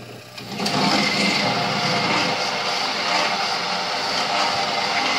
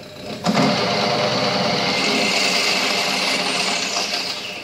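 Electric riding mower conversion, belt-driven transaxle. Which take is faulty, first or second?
first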